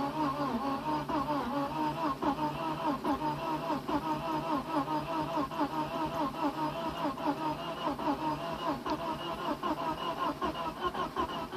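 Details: Porsche 944 started after over ten years sitting, exhaust valves bent when the timing belt tensioner pulley fell off: hesitant cranking, then uneven coughing and popping two or three a second, rough sputtering start.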